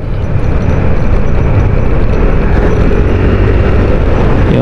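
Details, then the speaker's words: Yamaha Aerox V1 scooter, 94,000 on the odometer and nearly 5 years old, on a test ride after a top overhaul for worn piston rings consuming oil. A steady, smooth engine drone under road and wind noise; running normally. "Yun yung tunog ng makina, mas nagiging ano siya, hindi masyadong maingay, a little bit silent."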